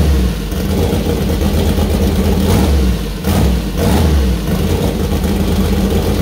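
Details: First start-up of new 2000+hp LS (Dart LS Next block, 4.140 bore, Brodix BR3 heads, .750 solid roller cam): lumpy steady idle with clean blips, revs rise and fall crisply, no ticking or knocking; healthy, minor oil and water leaks found.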